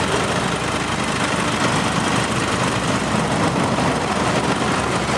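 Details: 2009 Nissan Navara 2.5 diesel, 6-speed manual, idling with the air-con compressor working normally and no smoke: steady diesel clatter at an even idle with no hunting or misses; a healthy idle.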